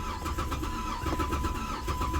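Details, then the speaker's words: Car after a new key was programmed to cure a security-light no-crank: the starter now turns the engine steadily and rapidly but it never catches despite having fuel. Crank, no start, cause not yet found. "getting cranky but now I ain't getting the damn thing got gas in it oh my goodness I got gas why ain't it starting"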